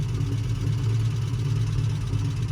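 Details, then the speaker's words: Barn-find Ford Capri Ghia resurrection after the carb was adjusted and the timing set with a newly fitted electronic ignition: steady, even low idle with no misses or hunting; it now idles and responds well on and off the throttle. "managed to get it idling much better on the throttle, off the throttle and just generally generally behaving itself."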